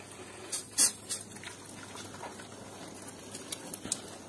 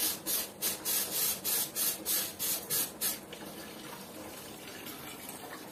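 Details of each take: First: Combi boiler radiator being bled during pre-winter maintenance with the bleed valve opened: irregular hissing spits and watery crackles as trapped air escapes with some water; steady water flow means the air is out. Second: Combi boiler radiator being bled: a few spits, then an even unbroken water trickle from the bleed valve with no sputtering, meaning no air remains; the pressure gauge is dropping toward 1 bar.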